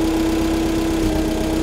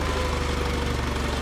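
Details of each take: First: Allis-Chalmers FP-40 forklift after a fuel system overhaul, carburetor installed, no air filter, idle mixture screw adjusted, idle spec 500–550 rpm but no tachometer: even, steady putter that settles; a normal, clean idle. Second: Vintage Allis Chalmers FP-40 forklift after fuel system overhaul and carburetor install, first run in four or five months, idle raised, steered tire loading the hydraulic pump: low even idle thump, heavy strained wheezing beat; engine labouring under hydraulic pump load.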